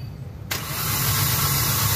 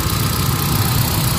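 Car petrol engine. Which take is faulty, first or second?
first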